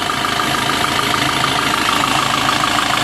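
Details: Maruti Suzuki Swift Dzire idling after water pump replacement, coolant refill and drive belt refit, engine mounting not yet fitted; steady, even idle with soft hum and light valvetrain patter, no knocks or misses; engine working normally, no coolant leak now.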